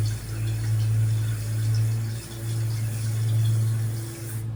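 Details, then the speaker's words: Shallow-well water pump restarted after six months idle, with a lodge toilet connected: steady low pump hum with rushing water that swells and dips about every second as air in the supply lines works its way out. "tell there's still air in the lines put a pump turn back [Music] on most of the a seems to work its way out"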